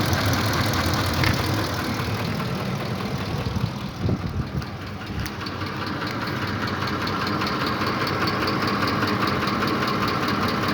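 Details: Ford Triton 5.4 3V at idle with both cam phaser solenoid connectors unplugged: uneven light knocking ticking under steady idle, unchanged by unplugging, so knock source still unknown.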